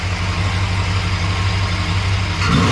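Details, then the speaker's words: 1968 Chrysler Newport V8 with electric fuel pump, pressure holding 6 to 6.5 psi, the wanted range for its 750 carburetor: steady idle, then a quick clean rev on the throttle blip that settles without stumbling; healthy. "throttle see a little bit so it's hanging between 6 and 6 and 12 lb"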